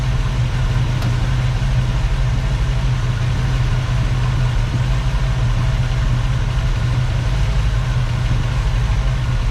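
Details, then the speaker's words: 1965 Ford Mustang, first start: steady slightly lumpy idle with deep even drone after ignition timing was reset from about 18° to 8° BTDC; sounds much better, it was over-advanced. "yeah sounds much better it was too far Advanced"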